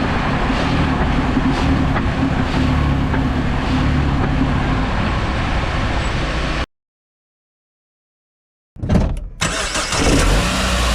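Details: Clunk/knocking on quick throttle release in a 2006 Jeep Wrangler TJ, mostly tested in 1st or 2nd gear: steady petrol engine, then a sharp uneven burst of clunks; engine and transmission mounts under suspicion.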